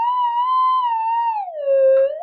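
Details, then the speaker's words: Modified Minelab GP3000/GP3500 detector with exposed circuitry: wavering tone near 900 Hz that sags lower; moving air over the components changes their values and makes the detector sound off falsely. "moving air yeah it changes um you know various values in componentry and they change it'll actually make the detector make that noise"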